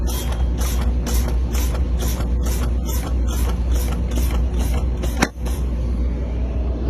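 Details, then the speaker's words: Truck air brake pre-trip, engine off, brakes pumped to drain air after low air warning came on (primary 75, secondary 69 psi). Steady hiss pulses about twice a second, then the yellow parking valve pops at about 22 psi; normal. "that popped at about 22 pounds."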